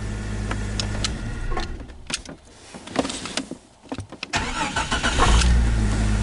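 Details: Jeep Cherokee with no-crank fault, neutral safety switch relay leg jumpered to ground: clicking and fiddling, then engine catches and settles into even, steady idle; confirms faulty neutral safety switch.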